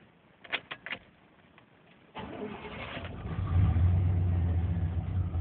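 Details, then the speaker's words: 1994 Chevrolet K1500 4x4, 5.7 throttle-body injection, 253,000 miles, on a warm day: cranks, catches, then lumpy uneven hunting idle; hard starts and stalls until warm, worse cold; fixed by replacing the engine coolant temperature sensor. "it's idling really rough it is keeping running right now probably because it's pretty warm days today"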